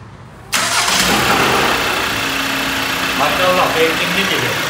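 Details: Cold-start diesel, VW Golf 2.0 TDI EA288 that needed long cranking when cold, after fuel-system repair and clutch-in start after sitting three days: catches immediately with no long crank, settles into an even idle; starts normally.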